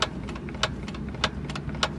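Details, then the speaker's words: Lada Vesta manual gearbox, raised wheels spinning free in first gear: sharp metallic knocks roughly every 0.6 seconds over a quiet engine; gearbox knock, cause not yet found, possibly the differential. "вращение вывешенные колеса непонятный стук это на 1 передаче"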